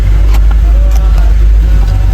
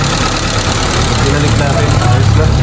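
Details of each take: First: Honda City: idle holds steady and well above normal with no dip or hunt, then drops to about 700 rpm when the aircon is switched on; high idle, IACV previously replaced with a suspected fake part. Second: Honda City after distributor setup restored to original, check engine cleared, still cold, before aircon on: steady even low idle with no misses, hunting or surging; idle correct, high-idle fault fixed.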